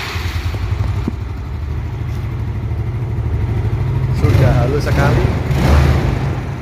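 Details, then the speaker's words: Scooter (automatic) engine after adjusting loose valve clearance that had caused ticking: even low beat rising cleanly when revved, no ticking or knocking; engine runs healthy after the fix. "Oke terima kasih karena motornya sudah enak lagi tidak kutuk-kutuk semoga tutorial tadi bisa dimanfaatkan dan digunakan oleh penonton tanpa harus ke bengkel"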